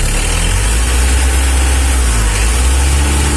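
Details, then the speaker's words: Mitsubishi L300 diesel revved before injection pump adjustment: deep, uneven, noisy rattling rumble with weak power from a mis-set injection pump. "Ini mesinnya Suaranya berisik tidak bersih ya keratak-kerataknya itu"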